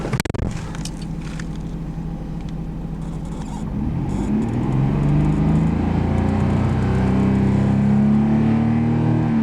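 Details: 1990 Nissan Skyline GT-R Nismo edition, 150,000 km, shown in Japan before export: handling clatter, then engine idles and climbs smoothly in pitch when revved, no knocking or rattle; good condition for mileage. Normal revving.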